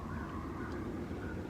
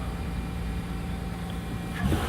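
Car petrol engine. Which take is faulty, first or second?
first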